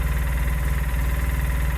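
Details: Polaris Sportsman 600 twin ATV idling after repair from non-running and a battery terminal fix: it settles into a steady, even low thump with no wobble or knock. Nothing wobbling, running healthy.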